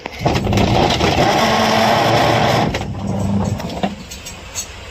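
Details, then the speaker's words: Top-load washing machine in wash/agitation with clothes loaded; loud rough grinding churn that never smooths out; technician says cause is either worn pulsator teeth or, most likely (99% of cases), a faulty gearbox. "इसमें जो आवाज आ रही है इसमें दो ही problem हो सकता है। या तो इसका पलसेटर का जो दांत रहता है वो खराब हो जाता है। घिस जाता है तो आवाज करता है। या तो इसका जो गियर बॉस रहता है ज्यादातर केस तो गियर बॉस का रहता है।"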